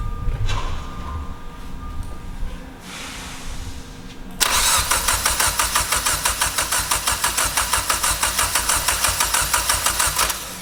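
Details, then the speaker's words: Mitsubishi Evo X being rebuilt after a wreck, first start after repairing the broken engine wiring harness, with the MAF plugged in and the intake open; long run of even cranking beats, about three a second. "that's a good sound right there some fuel all right now to that's awesome that's good to hear"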